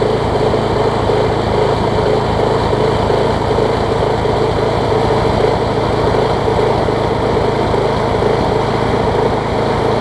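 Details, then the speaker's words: Engine from an MTD push mower swapped onto a Troy Bilt deck, running on a long extension adapter after the mower hit something hard: loud, steady run with an uneven shake about once a second, the mower visibly vibrating; bent crankshaft, to be straightened with a hammer. "She's dancing really bad, so I'm gonna have to take the hammer to it."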